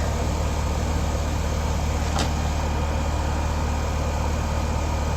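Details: Newly installed AC condensing unit (1.5- or 2-ton, R-410A, TXV, 15 A breaker, targeting 14° subcooling). Deep, constant hum from compressor and fan with no surging or rattling. Normal running.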